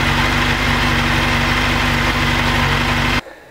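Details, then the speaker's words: Honda CBR1000F SC24 four-cylinder after sitting several weeks, needing long cranking before it catches: runs on choke with a busy, slightly uneven beat, then shuts off; hard starting after storage, cause suspected, not confirmed. "pokażę wam Po jakim czasie on dopiero zapali jak widać nie jest to od pierwszego że tak powiem"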